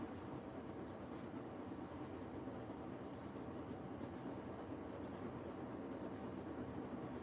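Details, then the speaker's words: Washing machine on cottons 60 program with a chef uniform load, i-Dos 1 and 2 on: steady even rushing hum of drum with water sloshing during the wash spin, no knocks or scraping; normal. "Here we go. Spin wash time. God, I missed the spin wash. Yes. So good."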